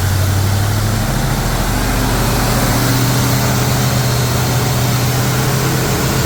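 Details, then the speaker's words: Mostly original two-owner 1973 Camaro, first start after work, distributor turned counterclockwise: fast steady idle near 2000 rpm that won't settle; high idle. "the more I go counterclockwise the RPMs speed up and then I can't get it to idle correctly it'll idle at like two 2,000 RPMs so I got to turn it clockwise to slow it down"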